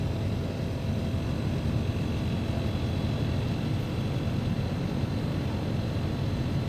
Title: Split AC Abnormal Sounds and Vibrations